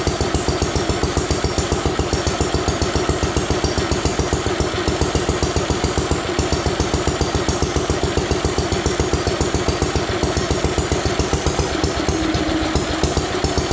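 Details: Old Ronaldson & Tippett single-cylinder stationary engine, running after about 25 years of ownership, started with a drill: steady, even thumping beat at about 2.5 firings per second with no misses or knocks. Normal running.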